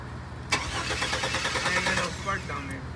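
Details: Chevy project truck: starter cranks in quick rhythmic chug about three beats a second but engine never catches; relays checked good. Crank no start, cause unconfirmed.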